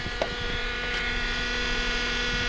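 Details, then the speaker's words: 2008 Honda Accord four-cylinder in the cold, high idle around 1500 rpm. A steady whine comes from the power steering pump, which is low on fluid, foaming and sucking air. A split, dry-rotted intake duct was letting in unmetered air. "That means it's sucking in a bunch of air right now with all those leaks. And that's that noise you're hearing right now. It's just, they get real whiny when they're low on fluid."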